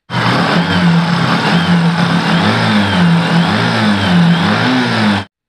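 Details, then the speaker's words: Single-cylinder motorcycle after tappet adjustment (exhaust valve set with 0.10 mm feeler gauge), loose intake and exhaust valves were causing head noise: steady idle with even low thump, no ticking from head; noise removed. "Engine head থেকে যে একটা বাজে sound আসছিল এই সাউন্ডটা এখন আর নেই। Remove হয়ে গেছে।"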